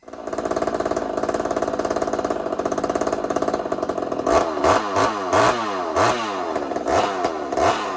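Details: Chainsaw on first fire after rebuild: screams at steady high revs, then irregular heavy bangs and stumbles; a connecting rod bolt broke and jammed at the crankshaft, nothing past the piston.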